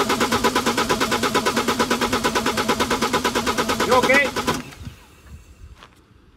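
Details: BMW N47 diesel on a compression test of cylinder 1, after both timing chains failed and the camshafts were replaced: even cranking pulses, about three a second, for about four seconds; reading about 23–24, good compression.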